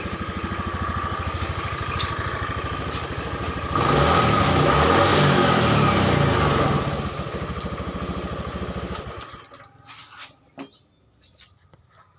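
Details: 2014 Honda Beat injection scooter, after repairing a broken charging coil wire that made it sputter and die when throttled: even, steady firing through a rev-up, then it pulls away smoothly with no misses; running normally.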